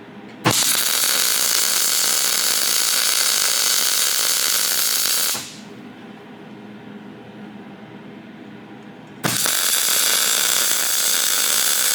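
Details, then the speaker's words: Harbor Freight TIG welder on aluminum, unknown shielding gas swapped in for 75/25; loud steady high arc hiss, pause, re-strike with changed arc noise; a welder friend suspects bad gas, unconfirmed. "So yeah, this gas is different. You can hear it right then."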